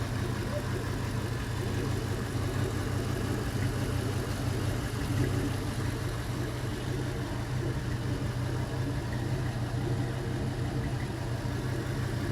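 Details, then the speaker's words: Gen 3 LM7 5.3L iron-block LS Vortec V8 with 862 heads, 151k miles, fully warmed up, about 44-50 psi oil pressure: low, smooth, even idle, steady rumble, no ticking or tapping, no smoke or leaks; healthy quiet valvetrain, normal idle. "we've gotten it hot and uh let it run for a good long while and it uh it does not leak and it runs awesome and let you hear the idle here no smoke or anything valve trains nice and"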